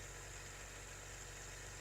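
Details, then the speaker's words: Cadillac with a 300 HP Northstar V8, battery just installed and key out of the ignition: a faint, steady low hum with a high hiss keeps running; owner suspects the air suspension is raising. Air suspension compressor running. "I just put the battery in the Cadillac and I hear something running back to you the key is not even in the ignition I think maybe it has air suspension is"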